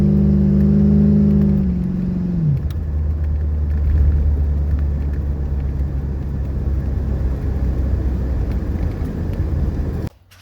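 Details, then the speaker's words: 1985 Chevrolet C4 Corvette after fuel-pump replacement for a starts-then-dies fault: brief rev dropping cleanly back to a smooth, even idle with no stumble or surging; normal idle and revving. "all right so we're idling at 40. let me give it the gas"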